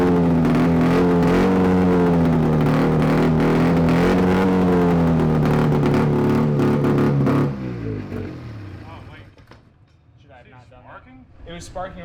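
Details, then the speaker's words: Free 670cc two-stroke Bombardier snowmobile engine from an early-90s Arctic Cat: revs crisp and strong then abruptly dies; stops when exhaust is hooked up, cause unknown. "all right for some reason you hook up the exhaust miss cuts off"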